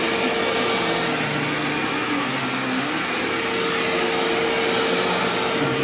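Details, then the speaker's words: Sharp Twin Energy vacuum cleaner vacuuming a living room: a constant whistling squeal holds its pitch over the rushing airflow. The squeal faded after running a while and partly returned at shut-off; cause unknown. "Now, granted, this is a high-pitched whining noise, so my earplugs are probably not going to filter it out."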